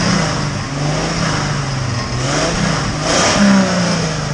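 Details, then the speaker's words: 1995 Ford Mustang V6 coupe, catalytic converters removed, running after a Seafoam treatment through a vacuum line, white smoke, a rattle said to be normal. Revs rise and fall with a deep, slightly rumbly exhaust, no knock; healthy. "It's got a pretty good sound ever since we took the cats out of it. It's not bad, actually. It's got a little bit of a rumble."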